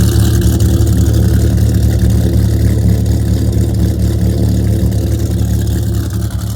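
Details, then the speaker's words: Dodge Viper idling in the garage after a cold start: deep, steady, even burble with a smooth lope and no ticks or misses as the idle settles down and starts to sound nice. Normal healthy idle, no leaks. "not sure if you can hear me once that idle comes down it starts to really sound nice"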